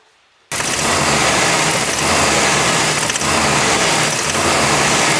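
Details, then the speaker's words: Isuzu engine that starts then stalls: catches and settles into rough idle with ticking knock under running noise; owner suspects head gasket, compression test planned, unconfirmed. "rochę mocniej aż w końcu zaczęło stukać tak jak Słyszeliście na nagraniu już mocniej nie stuka także Obstawiam że to jest uszczelka pod głowicą"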